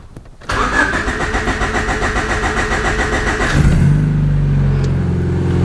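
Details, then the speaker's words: 1994 Honda Civic EG after full cooling-system sensor and thermostat replacement, new hot-wired fan switch: starter whirrs about three seconds, the longest crank this car has done, before catching and settling to idle; hard start, cause unclear. "that was the longest crank it's done in the entirety of this car"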